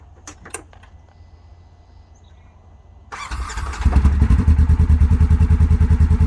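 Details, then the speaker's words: Polaris General XP4, 500 miles, after replacing exploded CVT belt: engine starts and settles to steady idle, clutch engaging at low rpm with no belt slap, unlike before repair; new belt needs 150-mile break-in. "which is different than before because I was getting a small amount of belt slap. And that is a good sign. It's kicking in on low RPMs and I don't hear anything."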